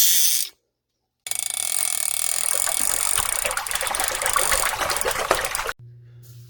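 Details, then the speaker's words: Late-1950s/early-1960s Western Auto Revelation V1550 spincast fishing reel cranked before service: rough uneven ratcheting grind, two or three clicks a second, sounds like skipping; owner fears a broken tooth on main or pinion gear, unconfirmed. "I don't know if it you know it seems to work but it almost sounds like it's skipping so I'm hoping there's not a broken tooth on the main gear or the pinion gear and"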